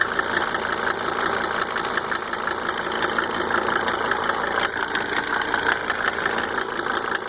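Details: Mercedes 300D W124 2.5-liter diesel, just fitted with five newly rebuilt injectors with Monarch nozzles: steady idle with a crisp, regular light tick close to three per second over the clatter; cause undetermined.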